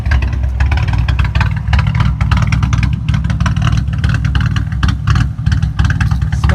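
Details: 3.8 L V6 idling with the brake booster vacuum hose deliberately unplugged to imitate a cam: a deep, uneven, lumpy idle with an irregular lope, raw-sounding and smelly. This is a vacuum leak rough idle, not for driving.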